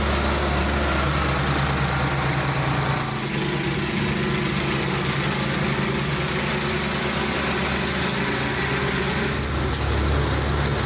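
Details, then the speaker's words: 1999 Snapper 28-inch riding mower, 10 hp Briggs single, before tune-up: slow lumpy chug with uneven beat at very low idle, near stalling; idle adjustment or possibly a different carb suspected, not confirmed; low idle. "That's it. Really low idle. Hear it. That'll have to be for another day. We may even want a different carb for this thing."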